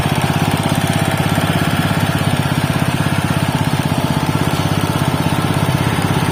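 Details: Robin Subaru EX21 7 HP 211 cc air-cooled four-stroke OHC single-cylinder horizontal-shaft engine, CDI ignition, not new: smooth, regular chugging at a steady fast rate with a deep even exhaust note, no tapping or misfire; normal running.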